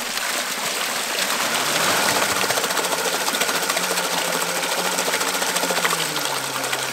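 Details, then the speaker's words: Waterwheel microhydro generator, mounted and spinning backwards, restarted: under rushing water a faint motor hum drops and settles lower as the MPPT controller adds load to slow it — normal generator loading. "and you can hear the MPPT controller kicked in there and it started increasing the resistance to slow the motor down"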